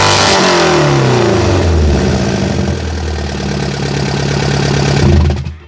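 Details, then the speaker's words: Ford Ka, 1.3 litre 60 hp petrol, before replacing the silencer: start then revs with a loud, raspy, tractor-like drone rising with speed; worn exhaust silencer. "vous l'entendez, c'est pas fameux, mais bon. C'est pas fameux, c'est pour ça qu'on va le changer."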